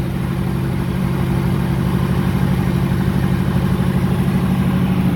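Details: Old pickup truck cold start after sitting about a week, fuel filter just replaced due to gunk; steady, even low idle pulse with no misses, hesitation or stumbling: normal idle.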